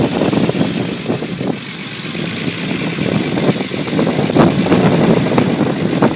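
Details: Unimog 404 first start-up after rebuild with new fuse boards and a rewire: steady, slightly lumpy petrol idle with even beat around three per second, no knocks or rattles; normal idle.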